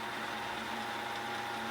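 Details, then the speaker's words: 3000GT/Stealth 5-speed AWD manual transmission spun by a drill press in neutral on the bench, after modifying for extra clearance to keep the 3/4 slider centered: smooth steady hum, no rattles, the neutral rattle fixed. "flat no noise no rattles or no I call that a fix"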